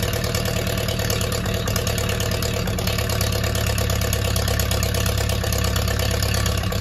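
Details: Ferguson T20 barn-find tractor, idling steadily at about 170 beats a minute with an even firing rhythm, no knocks or misses, after gearbox cleaned and refilled with oil; hydraulic pump tested working; normal idle.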